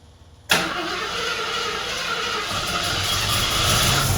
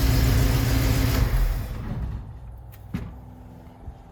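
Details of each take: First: 1974 AMC Javelin: fires after a short crank, then runs rough and uneven at low rpm, smoothing only when revved; excess fuel is getting past the carburetor venturis and can't burn at low rpm. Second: 1974 AMC Javelin warming up: low even idle rumble then winds down and stops; sounds healthy, though slight tick suspected as exhaust leak and a seep from the head noted.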